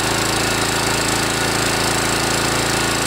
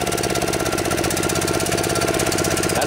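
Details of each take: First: DR TR1 walk-behind trimmer with a Kawasaki FC150V 6.75 hp engine, warmed up after a carburetor cleaning for a plugged main jet: a steady, loud, even single-cylinder roar held at high speed with no surging or misfire. It runs clean and healthy. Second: Kawasaki FC150V 6.75 hp single on a DR TR1 walk-behind trimmer, carburetor gummed after long storage: idles okay but won't rev, fast uneven chug never climbing; slow circuit works, so main jet inside carburetor suspected plugged.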